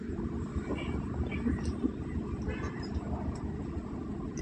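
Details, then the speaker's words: Hyundai, 2016 1.2 petrol, idling with check-engine light on and jerking: lumpy uneven idle with irregular stumbles; misfire in cylinders 1–4 on scanner, attributed to shorted spark plugs. "तो दोस्तों आज हम बात करेंगे Hyundai की i10 है और इसमें जो इंजन है वो मिसिंग कर रहा है और इंजन का चेक लाइट भी आ रहा है"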